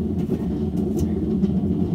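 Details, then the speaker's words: Hotpoint (GE) top-load washer, drum turned by hand with lid raised: slight uneven low rumble; failed seal let water drip through, bearings suspected compromised and seizing, spin test pending. "you can hear a slight rumble. So what I suspect has happened is the bearings have been compromised, and they seized up at one point, and they'll seize up again and stop the machine from turning, put too much torque on the motor and shut it down."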